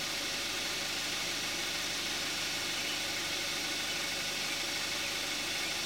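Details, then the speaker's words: 2014 Kia Forte5 2.0 GDI, 41,000 miles, synthetic Amsoil 5W-30, after a cold start, heard with the hood closed: muffled, even hum with faint quick ticking; normal direct-injection idle. "Now we're going to hear what the engine sounds like with the hood closed."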